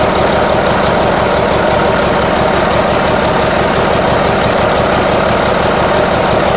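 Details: Marmon 57P Aero truck, newly installed diesel engine at first start after fueling injectors: loud idle with uneven lumpy beat, about three pulses a second; sounds like one or more cylinders missing, cause unconfirmed.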